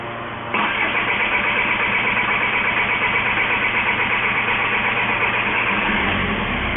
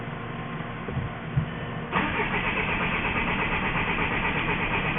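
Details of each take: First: 2004 VW Jetta 1.9L TDI BEW engine that ran out of fuel, after priming fuel filter and pump: starter whirs briefly, engine catches into steady even diesel idle; normal start. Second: Crank-no-start on a 2004 VW Jetta wagon, 1.9L TDI BEW diesel: starter cranks at a steady even pace for several seconds but the engine never fires; listening for the pump under the rear seat, fuel starvation suspected.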